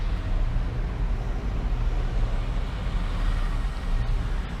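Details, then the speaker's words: Chevy idling badly; it stalled at a light the day before. Oil was changed about a week ago, and the dipstick keeps showing crud. Low, uneven, lumpy, wavering idle with no pickup; rough idle, cause not yet pinned down. "oh chevy's idling bad when i'm sitting at a light yesterday i was sitting at a light like this and it actually stalled out and cut off"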